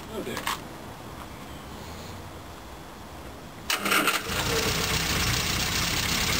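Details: 1974 Morris Mini, 1400cc MiniSport short engine, about 10 miles, first start after seven years with fresh oil but old fuel, some choke: short cranking then uneven, unsettled run; rough idle, cause not confirmed.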